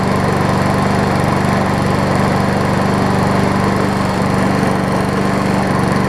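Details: MTD push mower after crankshaft straightening, carburetor repair and new air filter: steady, even buzz from the small single at constant speed with no misses, surges or knocks; running normally.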